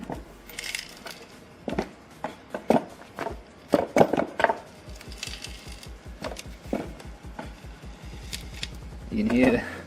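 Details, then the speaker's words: Blown Nissan RB25DET gearbox (third gear failed) with case bolts removed, rolled over: sharp metallic clatters and tumbling rattles like marbles, broken gear pieces loose inside. "marbles in there never a good sign in the gearbox"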